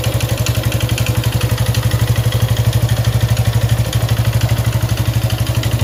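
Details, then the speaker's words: Suzuki Gixxer 155cc motorcycle idling with fast steady clatter over each firing pulse, internal engine noise; owner neglected oil; suspected timing chain, excessive valve clearance, or piston/ring wear, not yet confirmed. "Mir, aquí tengo una Suzuki Jixer, el cual tiene un ruido en el motor."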